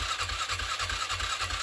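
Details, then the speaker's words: 2007 Polaris Scrambler, first start after sitting 4+ years, carb reassembled, new battery: starter cranks in a steady rhythmic churn about eight pulses a second, never catches; strong battery and apparent spark, owner suspects no fuel. "So it sounds like it's not getting fuel. Battery strong. Sounds like there's spark."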